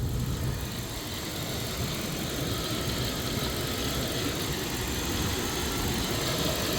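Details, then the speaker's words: 1999 Dodge Durango SLT petrol V8, sitting since 2009, idling steadily after a vacuum leak was fixed, with an even low rumble and no misses, knocks or surging: normal idle. "Just kind of listen. That sounds good now."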